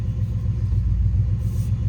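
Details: 1995 Chevrolet Z71 pickup, 350 TBI V8, 205,904 miles, after 4L60E transmission rebuild: deep, loud, uneven rumbling idle with raw blatting unmuffled exhaust; exhaust leak from the back of the muffler blown off.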